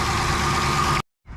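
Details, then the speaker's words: 2020 Dodge Durango R/T 5.7 L Hemi after water pump replacement, idling while refilling coolant: steady, even idle with smooth low rumble and faint constant whine, no knocks; runs normally. "Okay, moment of truth. So good so far. Just gonna let it run for a second."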